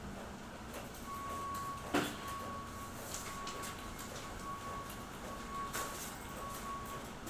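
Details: Xerox WorkCentre 7855 copier: sharp irregular cracks over the running hum, seemingly from toner or drum area; suspected hard-to-seat toner/drum cartridges, fix is reseating or replacing them, not confirmed.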